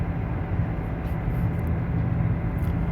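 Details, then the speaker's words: Dodge Avenger, about 2012, on the road: steady deep rumble at driving speed that changes with slight steering, apparently from the driver's side, diagnosed as worn front hub bearings and fixed by replacing them. "esta comprobamos que hace ruido oye posible ya lo escucharon hoy un avioncito y escuchando el avión el avión el avión no pues sí definitivamente está haciendo ruido muchas veces"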